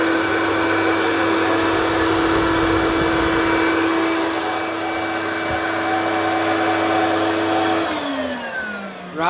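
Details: Hoover vacuum from the tip; the owner suspects the electronic speed LEDs are faulty. Steady, even motor whine with a strong airflow rush and no pitch change, then a smooth spin-down. Running normally.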